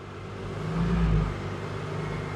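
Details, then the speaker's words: 2007 Honda Odyssey at 11 °C with check engine light on: engine speed rises as the AC is switched on, then holds steady with no compressor engaging, so the ECM gets the AC request; failed AC clutch relay. "I can hear the engine ramp up when I turn the AC on but I don't hear the compressor engage so obviously the ECM is getting the AC request"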